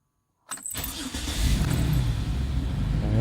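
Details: 2007 Dodge Nitro just after a second fuel pump replacement, with the pump priming first; the starter cranks briefly, then the engine catches and settles into a steady, even idle with no misfire or knock. Normal engine start.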